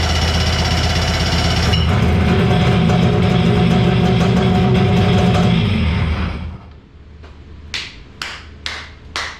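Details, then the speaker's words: JetStar 1250 boat engine, first start after purchase with fresh fuel, carbs not rebuilt: catches and holds a strong even beat for several seconds before shutting off; healthy start. "Fires right up, baby. I can't believe that, dude. I didn't rebuild the carbs or nothing."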